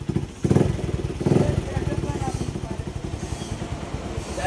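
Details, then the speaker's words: Platina motorcycle idling just after a service, its first in a long time; low uneven thump with occasional stumbles, a slight misfire the owner blames on a little water in the fuel tank; engine oil was found very low at the service. "Guys finally bike तो start हो गई है और थोड़ी सी गा missing कर रही है तो वो कर रही है गाइस में जो कि टैंकी में थोड़ा सा पानी वगैरह घुसा हुआ है ना"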